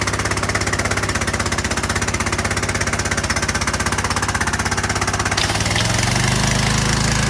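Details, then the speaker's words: Troy-Bilt/Craftsman pressure washer after carburetor cleaning, water connected: small engine fires evenly with quick steady beats and holds constant speed, no stumbling or surging; normal running. "I connected water to it. I'm gonna start it up for you now. Works."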